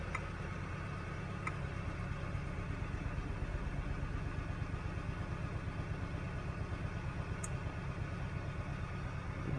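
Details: 2013 Hyundai Sonata with codes P06A5/P0193 (fuel pressure sensor reference voltage high) and drivability issue, running after the fix with no check engine light. Steady, even low idle with no misses: normal idle.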